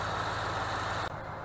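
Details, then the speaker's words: 2010 Ram Hemi with fault code P0305 at warm idle during diagnosis after injector work: steady, smooth idle with only light injector ticking and no stumbles; the code does not reappear. "I just want to show you or let you hear the engine sounds really nice and smooth right any clicking you here is just the injectors"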